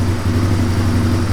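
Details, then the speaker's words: 1997 Suzuki DR350 single-cylinder, previously idling unsteadily and backfiring, choke now off: slow, low, even thumping with steady beat, no misses or stumbles; smooth, settled low idle. "I don't think it has ever idled this long and at such low speed that's a nice idle you think that sounds good it just seems so low so"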